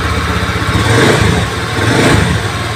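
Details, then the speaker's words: Honda Beat injection scooter that was hard to start, lacked power and would not idle: after reconnecting an unplugged socket, it was kick-started because the battery was weak. It now holds a steady, even single-cylinder idle. Normal idle. "juga bagus stasionernya juga langs bagus"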